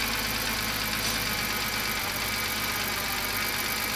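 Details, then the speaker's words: BMW 328i E90 after swapping damaged N52 for a used N52, first start, new exhaust gaskets, fuel fitting leaking: steady idle under hiss and loud power steering pump whir, no knocking or stumbling; normal idle. "that's the power steering pump making a lot of noise no big deal sounds good"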